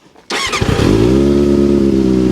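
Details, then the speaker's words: Triumph TT600 600cc sports bike, bought as a non-runner and restored, starting: brief starter whir, then fires at once into a smooth, even idle with no misses; starts lovely and runs healthy. "Starts up lovely. Like we said, it was bought as a non-runner."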